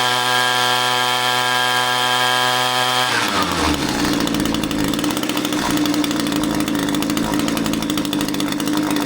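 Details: Echo string trimmer two-stroke powerhead after only the incorrect carburetor gasket was replaced. A clean, steady high buzz at full throttle, then a smooth drop to a lower, even run without stumbling; the engine now runs properly.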